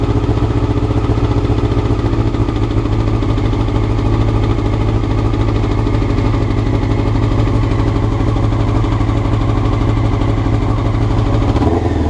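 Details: Honda CBR motorcycle, clip from before the float needles were changed: fast idle with a lumpy, uneven beat rather than a smooth run; rough idle, cause suspected, not confirmed.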